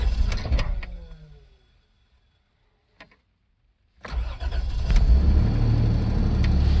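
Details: Toyota 3VZ-E engine with the starter spinning: one crank dies away, a click follows, then a second crank catches into a low rumble; hard starting, cause unclear.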